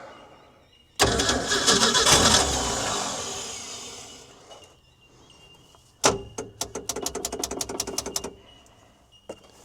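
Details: Ford D Series petrol fire truck, first start after 16 years sitting, with upper cylinder lubricant added: a long cranking rush, then sharp pops near four a second as it half-catches. Misfiring, sneezing start; the owner suspects a stuck valve, flooding or lost spark.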